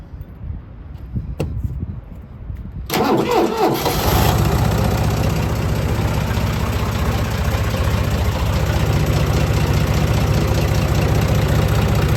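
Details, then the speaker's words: John Deere tractor diesel cold start below freezing (about 28°F), no glow plugs: brief cranking, catches within a second and settles into a steady, even knocking idle; normal, easy cold start. "Had no doubt it would start. It's probably one of our easiest starts. No glow plugs, no nothing. Below freezing, cranks right up."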